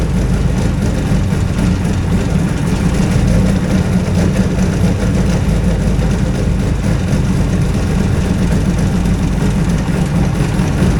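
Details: Two-cylinder hovercraft engine, newly settled with revised exhaust and carburetion; deep, steady drone with even beat, no stumbles or misfires, both cylinders firing cleanly.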